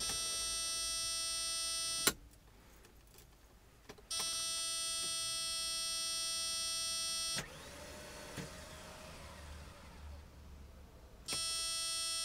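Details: No-start: several few-second bursts of a high, steady electric whir, but the engine never turns over or catches; cause unclear.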